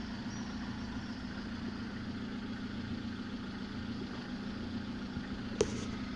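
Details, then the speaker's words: Lada gearbox after repair of a knock from the input shaft bearing that vanished with the clutch pressed: steady low idle hum, sound unchanged with the clutch pressed, no knock; gearbox now quiet. "смотрим результат выжимаю сцепление звук не меняется стука нет коробка не стучит"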